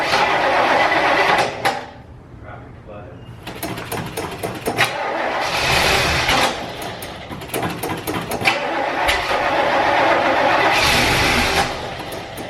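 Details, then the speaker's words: Old car that had been sitting, with a battery too weak to crank, being jump-started from a NOCO Genius Boost Pro: fast, steady cranking at around four beats a second, a pause, then more cranking, needed several times before it catches. "we had to crank those several times as you saw this unit held in there"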